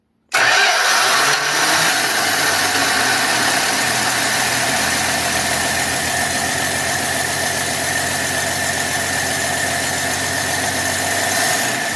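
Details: 1966 Dodge Dart, 225 slant six, after replacing the worn Holley 1920 with a cheap imported Autolite-style single-barrel carb and fixing the fuel inlet line: catches quickly, steady even run, hissy intake note, no misses, no leak.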